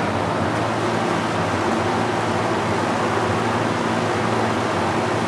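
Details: Master Flow 1450 CFM gable-mount attic fan, newly installed and switched on via its thermostat, drawing 1.16 amps at about 76 dB. Loud, steady whoosh of air over a low even hum, no rattles or surges; normal operation.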